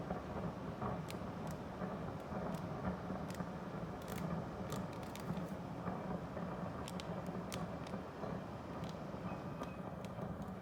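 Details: Daikin Urusara AN40PRP-W air conditioner indoor unit: loud, steady rushing rumble with irregular bubbling and gurgling pops, like boiling; owner thinks it is water moving.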